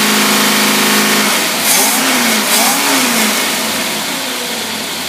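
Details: Rebuilt Autolite (Holley) two-barrel carburetor, tested on a running engine: steady idle climbs cleanly into smooth revs and settles back without stumbling or popping; normal revving, carburetor healthy.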